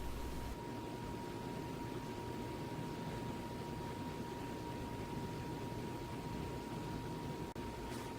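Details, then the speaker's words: Home Decorators Pompeo YG618-WH 52-inch outdoor ceiling fan on its high speed setting. A thin, steady high-pitched motor whine sits over soft airflow hiss; the whine goes away at medium speed. "I've turned it to a high speed right here and you're gonna hear a lot of wine from the motor"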